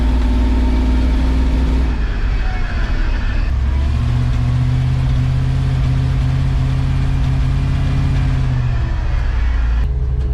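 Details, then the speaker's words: 1970 C10 with 1998 Vortec 7.4L (454), driving under part throttle, running lean per O2 data: occasional sharp exhaust pops and banging, worse with more throttle, uneven under load; misfire from worn, fouled spark plugs. "because uh the more open throttle I went uh more you heard it popping and back and I hope uh hopefully it came through on the camera this popping and bagging and not good not happy"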